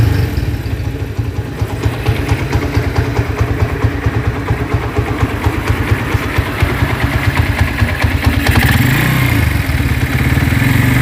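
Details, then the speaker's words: Cold Honda Tiger single that smokes when cold and lacks power: uneven idle with fast rough clicking from the cylinder head over the exhaust beat. It resembles a scratched or slapping piston; the rough valvetrain ticking is possibly from loose rocker arms. "bisa kita dengarkan bahwa tadi di bagian kop sini itu terjadi bunyi kasar kemlitik dan ada bunyi terklik seperti itu mirip banget apabila teman hmm pernah mendengarkan dari piston yang baret ataupun ngeplek istilahnya seperti itu mirip banget"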